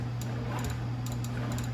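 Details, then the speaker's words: 2002 Honda CHF50 scooter with the key on and the brake held: irregular light clicks over a steady hum and no cranking; the starter relay clicks inconsistently because of a poor brake switch contact that needs cleaning or lubricating. "so i am partially right the switch is a problem because it's click click the starter relay and it's it's um inconsistent"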